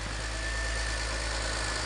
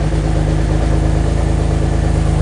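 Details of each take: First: BMW X3 E83 with the M54 straight-six, started after a head gasket replacement and tightening the exhaust manifold bolts: smooth, even idle with no misses, ticks or exhaust leaks, and oil pressure present. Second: BMW X3 E83 M54 after head gasket replacement reassembly: engine runs very loud and raw with deep blatting rumble at idle; exhaust manifold bolts to the rest of the exhaust left untightened, later tightened.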